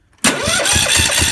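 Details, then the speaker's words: Kohler Courage 18 hp single-cylinder on a Husqvarna Z4218 zero-turn, new starter and battery, strong spark, fuel solenoid on: cranks at about five even chuffs a second without firing; no-start from exhaust valve guide popped up holding valve open. "e's even cranking over fight now so it's almost like now it's it's feeling like the exhaust valve gets stuck open that's that's what I think is the issue right now"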